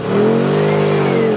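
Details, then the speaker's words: Side-by-side powersports unit on a test drive: clean engine note climbs smoothly and holds under throttle, no misfire or stumble, good power, shifting smooth; healthy running. "So we got good power."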